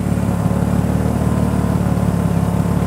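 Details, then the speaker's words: 1988 Jeep XJ 4.0 inline-six after new rod bearings and lifters, knock and exhaust leak cured: steady, very quiet idle with a faint uneven puffing from the muffler through a crack on its bottom. "This thing is crazy, crazy quiet. Now the only thing you can hear is the muffler sputtering."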